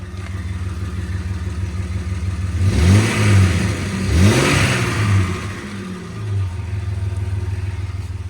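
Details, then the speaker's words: 2004 Jeep WJ after muffler, tailpipe and clamp replacement: deep engine note climbs through two quick revs and settles, much quieter, but a faint puffing rasp shows a small exhaust leak remains somewhere. "All right. There's definitely still an exhaust leak somewhere, but sounds a lot a lot better."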